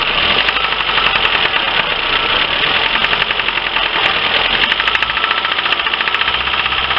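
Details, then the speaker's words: Lifan car engine at idle with a sharp, regular light tapping. Acoustic stethoscope diagnosis places the knock in cylinders 2–3, with no increased smoke. Heavy oily spark plug deposits point to stuck piston rings and oil entering the cylinders; cause unconfirmed. "итак проблема штук двигатели делаем диагностику акустическую скота скопом показывает стук во втором-третьем селе не было ни повышенная дымность"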